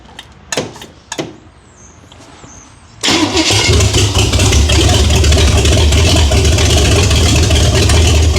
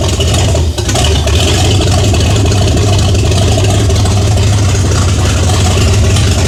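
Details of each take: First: 1978 Chevy Nova with big-block Chevy, stock manifolds and intake, open exhaust, restarted after sitting 21 years: starter clicks, then loud, even, lumpy idle about four beats a second, 50 psi oil pressure; sounds healthy, possibly cammed. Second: 1978 Chevy Nova V8, after sitting 21 years: very loud, deep, lumpy idle barking straight out of open exhaust manifolds, heavy low rumble, no muffling; owner questions whether the camshaft is stock; no knock or tick heard.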